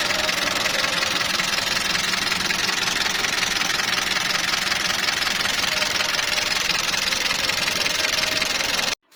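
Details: Toyota 2TR engine (Fortuner/Prado), cold start: fast, fairly even light ticking, a little under three a second, over a hissy idle; sticking hydraulic lifters suspected, tappets and oil pressure to be checked.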